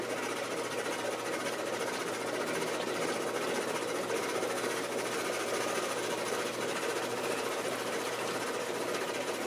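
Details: Maytag Performa washing machine running with a fast, steady rhythmic rattling clatter throughout; abnormal mechanical noise, cause unknown.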